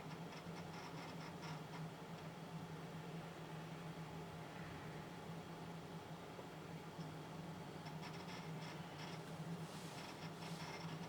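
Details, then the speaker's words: Lenovo ThinkCentre, once flooded and fitted with a new motherboard, booting slowly (over a minute) from an old 80 GB hard drive before an SSD upgrade. Quiet spin hum with bursts of fast ticking seeks. "As you can hear by the way it's running, it is quite an old hard drive that I put in it. It's an old 80 gig, it's literally what I had first"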